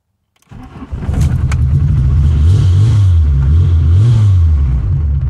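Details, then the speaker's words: MK2 VW GTI first start after sitting under a cover about eight months, fuel primed by cycling the key: catches quickly and settles into a smooth, even low idle with slight rise and fall, no misfire; normal start and idle. "smooth as a baby's bottom perfect i didn't think it was gonna start this easy but it did so i'm good"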